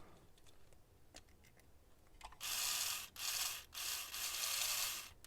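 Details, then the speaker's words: Rare Jouef Irish locomotive, believed to be a class 139 HO, three-pole motor, after cleaning and fresh grease on the helix gear, spins up to a fast dry raspy whirr with brief dips; owner thinks it needs a bit of oil. "I think that that should be good sounds like the motor use a bit of oil as"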